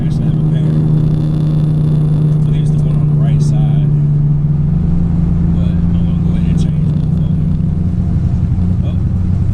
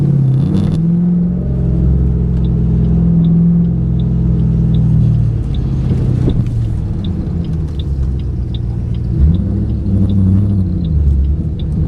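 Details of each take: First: 2008 Ford Mustang GT driving before coil replacement, dealer reported 5 bad ignition coils: low V8 drone with an uneven, stumbling beat instead of a smooth hum; misfiring. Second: 2008 Ford Mustang GT on a drive after MSD Blaster coil-on-plug set replaced coils (dealer reported 5 bad); previously it began misfiring by this point: deep, even V8 rumble swelling smoothly with throttle, steady on cruise, no stumble or skip.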